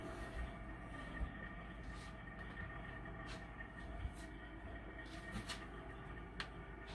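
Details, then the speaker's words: HTP UTF 80 boiler after fixing a fan whose blades hit the combustion housing: with the fan off, only a low steady hum and soft rush of normal water circulation. "now that now the fan is off all you're hearing is the water circulating all right"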